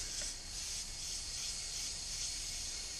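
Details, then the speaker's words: Silverado after a 7065-to-7875 On3 turbo swap, tested with a homemade boost leak tester: a steady sharp hiss as small vacuum connectors leak, so it won't build even 2 psi (normally runs 7-10 psi). "I had a few minor leak a couple of these little vacuum connectors that I had we're leaking it won't even build like two pounds of boost with the tester"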